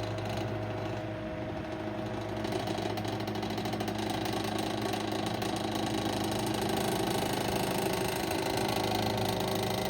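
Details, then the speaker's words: 1930s Westinghouse Pacemaker 10-inch desk fan, bearings oiled, blade slightly out of alignment: steady motor hum with a fast, even light rattle throughout; cause unknown. "It's really weird, but it it runs really good besides the rattling."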